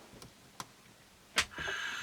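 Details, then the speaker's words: Late-1960s Olympus Zuiko Pearlcorder microcassette recorder after belt replacement (17x1.2 square) and wire repairs: a few soft ticks, then a thin whir as the motor catches. Running intermittently and clunking; owner doubts the small motor. "Listen to it. That's not real happy. Something's clunking. I don't know if that little motor's so good anymore."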